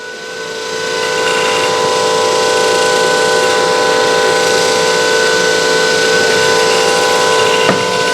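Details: DC compound motor trainer kit in a lab load test, load raised to 1.5 A, 1 kg brake load, speed and voltage dropping: steady whine with a firm hum holding smoothly as load comes on, no rubbing, knocking or arcing; normal under load.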